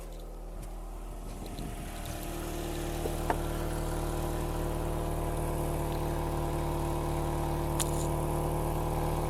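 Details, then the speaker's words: Toyota Yaris first generation 1.5 TS after a temporary repair of the broken rear silencer joint: engine catches after two seconds and settles into a soft, steady hum; the exhaust is sealed and now clearly quieter, normal. "on va démarrer quand même hein je veux montrer que ça fonctionne ça fait plus le bruit voilà c'est nettement plus silencieux"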